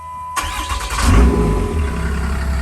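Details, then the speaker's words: Diesel truck right after a dual CP3 injection pump install with Fleece distribution block and metal upper radiator pipe, coolant refilled: engine starts right up on the first crank and settles into a steady, smooth, deep idle; normal diesel start. "starts right up right up there's that dual cp3 perfect"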